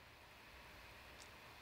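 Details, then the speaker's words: Beelink GTR6 mini PC with AMD Ryzen 9 6900HX at about 10 W idle, mic a short distance away: steady even airy fan hiss, no pulsing or rattle, audibly not quiet; normal fan noise at idle. "so I mean the thing about this is it's definitely not quiet and you're only talking about like a 10 watt idle so it's just one of those things where I wish that this was a little bit quieter especially at idle"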